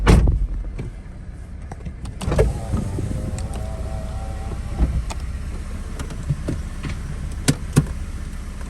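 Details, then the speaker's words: K24-swapped Acura RSX, parking speed: a low groaning moan with a faint rising tone lasting about a second as the steering wheel turns; owner says the noise appears when it rains; steering noise when turning. "Y'all hear that weird, ugly, nasty ass sound when I turned my steering wheel?"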